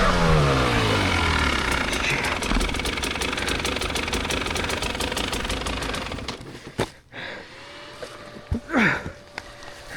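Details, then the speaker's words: 2024 KTM 300 XCW hard enduro bike at a race, running Evans waterless coolant: engine drops back to a quiet idle, then a steady faint whirring hum as the radiator fan switches on normally. "You can hear that fan going on. I am running Evans waterless coolant in the bike."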